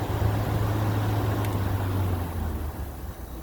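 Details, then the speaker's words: A 2014 5000 BTU Frigidaire window AC, unused 5 years, on high cool building head pressure: a steady low hum with even fan rush and no clatter. Coil 53, condenser 64, and the compressor runs normally and quietly, ice cold. "A quiet compressor. That is ice cold."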